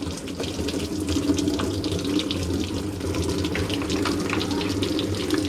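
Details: Hitachi SF-160XTV 16 kg washing machine, brought in because it would not power on, with a steady, even hiss of water running into the tub over a low hum; fill sounds normal.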